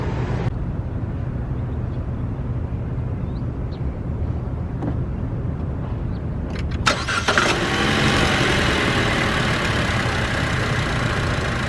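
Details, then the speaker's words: Chevrolet Cruze petrol engine at idle: low rumble turning into louder rough growl when A/C engages, gone when driving off; source under exhaust manifold, A/C compressor recently replaced, heat shield and exhaust clamps checked; cause unknown. "When you turn the AC on, there's a growling noise, and that's only at idle, and then when I take off it's gone. But that's with only with the AC on."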